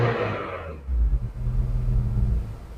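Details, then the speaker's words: Engine rising from a smooth idle to a steady rev during a used-car inspection: deep, even rumble with no knocking, rattle or excess ticking, so the engine sounds healthy. "nah saat digas itu Hai dicek Apakah mobil retak atau enggak suara mesinnya"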